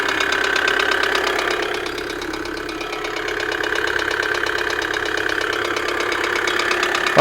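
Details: 2008 Kia Sedona 2.9 CRDi diesel (engine J3) at idle, fault code P0016, check engine and airbag lights on: loud harsh knocking about two per second over clattery idle; camshaft sensor wiring tested good; cause not yet confirmed.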